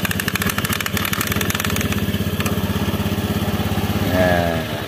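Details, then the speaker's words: Honda Beat scooter CVT after the loose clutch-lining clamp plate (worn by the retaining clip) was fixed: the rolling rattle is gone, leaving a steady, even idle with only the normal rubbing sound of rubber against the pulley; quiet, healthy CVT. "suara gelinding-glindingnya tadi sudah hilang ya halus cuma ada suara krosok-krosoknya ini suara seperti biasa ya"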